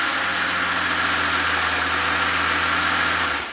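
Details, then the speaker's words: Mercedes CL65 AMG twin-turbo V12 after repairs, run only briefly because there is no coolant in it yet: even, steady idle with a smooth low hum and no stumble or miss before shutdown; running really well. "okay all right we don't have any coolant in the v12 yet so i'm not going to leave it running but it seems to be running really really well"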